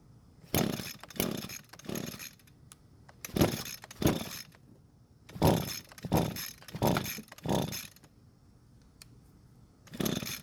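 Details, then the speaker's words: Free curbside Echo two-stroke string trimmer, primer bulb and fuel return working. It fires in short bursts, sputters about a second and dies repeatedly; engine won't stay running, owner suspects too little fuel coming from the carb. "oh so the engine doesn't want to stay running and more than likely it's because there's not enough fuel coming from the carb"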